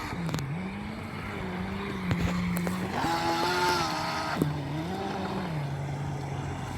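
Motor whine climbs and falls with throttle over an uneven rattle from the driveline, pointing to a broken propeller shaft cross joint.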